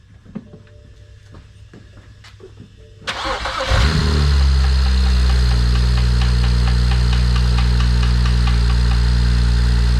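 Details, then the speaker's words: BMW 335xi N54 with Pure 600 turbo build, first start after all parts installed: quiet, then starter catches and settles to a steady, smooth idle; no leaks, smoke is residue burning off; healthy. "Oh, that sounds healthy as fuck. Anything pissing out of the bottom?"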